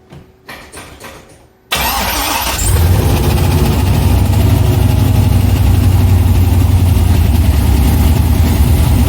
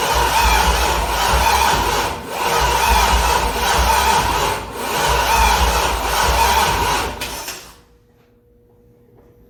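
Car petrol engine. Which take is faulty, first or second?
second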